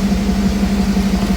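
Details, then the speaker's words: Cold engine idling after an ACES EFI Jackpot kit install replacing a MicroSquirt ECU; steady, even low hum with no pinging or stumble, smoother and more responsive than before when it pinged as if timing was off. "so it's cold in here it is cold in here but it sounds much better I mean it sounds a hell it sounds way better"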